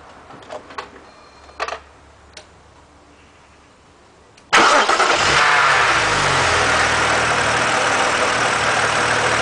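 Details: BMW Z4 3.0si: quiet, then the engine cranks and catches, and a steady hiss rides over the idle; source of the hissing unknown.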